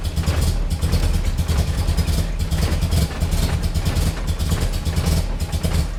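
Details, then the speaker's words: Nissan 240SX S13 KA24DE dual cam at first startup: stumbling idle with a surging low rumble and irregular misses, barely running and loading up very rich; compression and minimum idle setting suspected, not confirmed. "or that my data gas that's really rich but it really reads"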